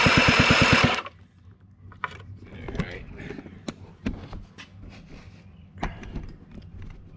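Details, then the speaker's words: Honda Spree 2-stroke scooter (engine likely 1984), hard cranking and won't start, spark plug removed: about one second of rapid, even starter spin with no compression drag, then handling clatter; starter and battery (about 12.5 V) are strong. "i take the plug out and there's no back pressure at all no compression stroke then it spins like crazy that tells me that my starter is just in my battery is still strong"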